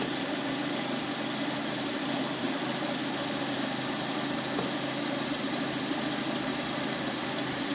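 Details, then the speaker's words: Lada Priora 126 engine, warmed up, 50,000 km, 20,000 km after piston-knock repair, timing kit and water pump just replaced: steady, even idle with light valvetrain tick and no heavy knock; runs well after repair. "Ну вот, в принципе, небо и земля. По сравнению с тем, что было, работает замечательно."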